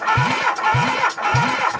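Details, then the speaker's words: ZAZ 1102 Tavria engine that sat unused a long time, cranked on the starter during a compression test of the first cylinder, before fueling the carburetor: even, regular pulses about every half second with equal strokes; compression sounds strong and healthy. "ще раз перший циліндри пока що акумет не посадили ну компреція справді бомбезнава"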